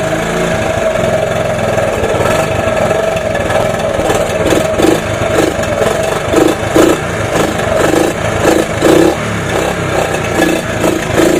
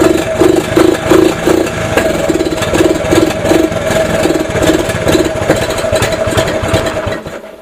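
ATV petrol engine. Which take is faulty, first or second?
first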